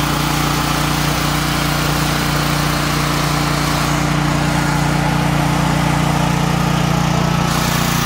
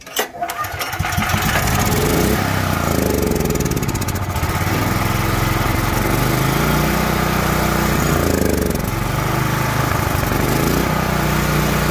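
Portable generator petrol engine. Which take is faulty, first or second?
second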